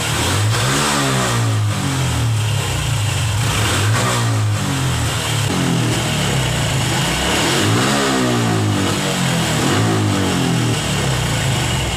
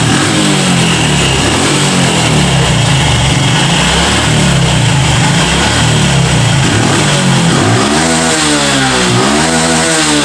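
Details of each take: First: Honda Revo FI fuel-injected motorcycle with loss of power at upper throttle: repeated blips rise and fall back without pulling cleanly at the top, caused by a misadjusted throttle position sensor. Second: Honda Revo FI single-cylinder motorcycle, repaired using aluminium foil for a complaint of weak, bogging power at high throttle, idles steadily, then blips up cleanly and drops back without stumbling or hesitation.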